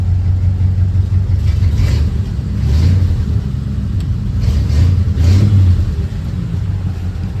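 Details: 1940 Ford Tudor blipped after new tailpipes from an eBay kit were fitted (hangers and clamps still to go on): deep, even rumble swells cleanly with each throttle blip and settles smoothly. Normal revving.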